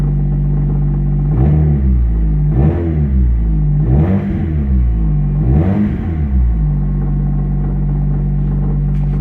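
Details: Infiniti 4-cylinder with its rusted-off muffler, odometer reading 82,000 miles (owner says it's inaccurate), no coolant and a failing alternator: quick throttle blips, then steady loud booming idle; runs smoothly, loudness from the missing muffler.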